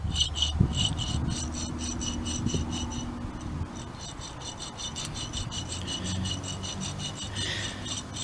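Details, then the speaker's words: Dodge Avenger, old passenger-side wheel hub bearing removed and spun by hand: a dry, gritty rasp that coasts down unevenly. This worn bearing was the source of the noise. "That was the noise right there. This wheel bearing was the bad one there. So that was the issue of the whole thing there."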